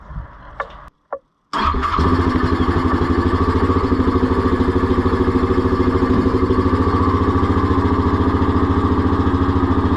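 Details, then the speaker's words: 2021 Yamaha Grizzly 700 ATV after installing an EHS tuner fuel programmer on the injector harness, ground reconnected: starter cranks briefly, engine catches and settles into an even thumping idle near 200 pulses a minute; normal start and idle. "Put our ground back on first, but we're going to fire it up and make sure everything seems fine."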